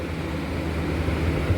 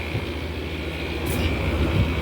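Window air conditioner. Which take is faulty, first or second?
second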